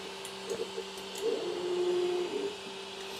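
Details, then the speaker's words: Creality Ender 3 S1 Pro 3D printer after replacing the Y-axis limit switch that caused a loud grinding sound: soft stepper hum with light clicks as the axis homes and travels, no grinding. Normal axis homing. "make sure everything works see went back home here which is fine"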